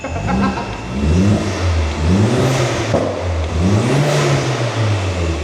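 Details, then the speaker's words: Ford Escort with a swapped Volkswagen 2.0 TFSI BWA engine and custom exhaust, cold revs before a dyno run. Engine blips up and settles back smoothly twice with an even, clean tone and no knocks or rattles; sounds just like a Golf. Normal cold rev. "sounds like a golf sounds just like a golf"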